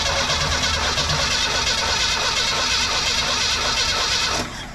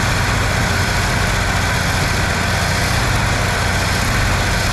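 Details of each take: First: I'm not seeing anything no spark so we haven't even messed with the ignition system so we're going to go ahead and pull that distributor cap Second: I think we need to turn a up just a hair oh it sounds sounds pretty level pretty consistent yeah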